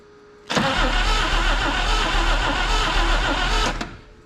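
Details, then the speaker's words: 1962 AMC Rambler wagon that sat for over 50 years, cranked by a remote starter switch with the key off: three seconds of lopsided cranking with one beat lighter, meaning one cylinder has low compression. "okay still got a little hitch in its giddy up if you hear that that means that we've got an issue with one of the cylinders not having compression"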